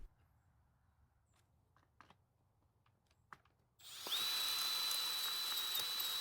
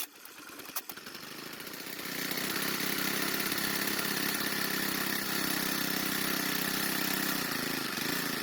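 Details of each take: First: Troy-Bilt 4-cycle trimmer with drill-driven ratcheting starter adapter: only steady high drill whine, no compression pulses or turnover; adapter freewheeling without cranking the engine, cause unclear, fuel unchecked. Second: Troy-Bilt 4-cycle trimmer, confirmed to have spark and compression: a few sharp pulls, then it catches and holds a steady buzzy high-pitched run for about ten seconds before cutting out. It is probably running on fuel left in the carb.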